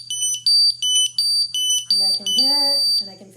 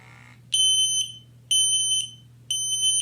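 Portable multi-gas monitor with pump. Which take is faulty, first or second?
second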